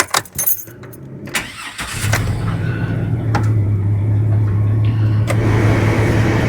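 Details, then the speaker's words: 2003 GMC Sierra after a new belt tensioner and idler pulley were fitted and the thermostat was changed from 195° to 170°: the engine settles into a smooth, even idle with no belt chirp or squeal; normal idle, not overheating after 20 minutes. "Nice and quiet. Fixed the belt. I put a tensioner on it and the idler pulley on it. That don't make no more noise."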